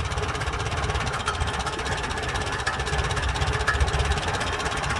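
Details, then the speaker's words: Farmall antique tractor after starting with Seafoam added to reach the carburetor (owner suspects a sticking needle valve letting fuel drip into the carb; rebuild kit on order): steady, even low chug at constant speed, no stumbling or misfire; normal running. "there ya go ski i'm gonna let her run pulls clean come on seafoam get in that carburetor yeah so now i got her running good"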